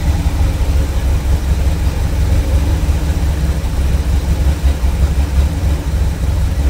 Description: Cold starting after fixing vacuum leaks